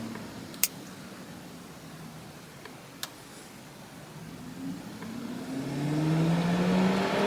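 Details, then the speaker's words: C6 Corvette with newly installed Casper fan switch, car in neutral, fan moved from low to high: quiet hiss then a whirring tone climbing in pitch and loudness as the fan spins up; normal high-speed fan operation. "Fan is on, it's low. I don't know if you can hear that, but you should definitely be able to hear high."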